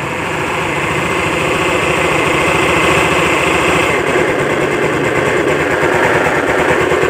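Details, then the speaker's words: Honda Beat scooter idling with a loud, rough, throbbing helicopter-like rumble that persists with the primary pulley removed, traced to a worn crankshaft bearing. "tidak hilang jadi saya sudah Phoenix tadi permasalahannya itu ada di bagian bearing kruk-as ya"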